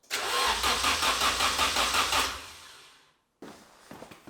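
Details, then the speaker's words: Nissan Silvia, second crank attempt after completing rewiring: starter spins briskly with even compression pulses for about three seconds but never fires; still no fuel pump priming, owner suspects fuses or a missing/failed fuel pump. Crank, no start. "boys so there was cranking it sounded good still no fuel pump priming going on"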